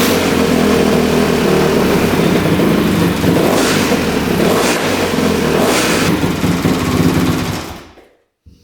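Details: 2006 Honda CRF250R single-cylinder, fully rebuilt (new bottom end and top), apparently the first start since the rebuild after the throttle screw was adjusted. Loud, even thumping through the throttle blips, no misses; the owner believes a clogged line caused the earlier no-start.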